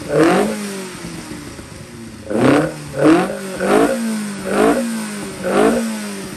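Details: 1200 engine on dyno, quick off-load run (microphone unplugged for loud noise): crisp repeated throttle blips rising and falling cleanly, no knock or clatter; freshly built engine with correct rod dynamics revs freely and sounds healthy.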